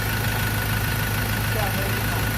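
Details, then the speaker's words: Diesel 2.2, previously running poorly with white and black smoke, now idles after repair with a smooth, steady low idle, no knocks, misses or rattles; engine quiet, normal idle. "เครื่องไม่กันแล้วมึงก็เงียบแล้วนะครับ"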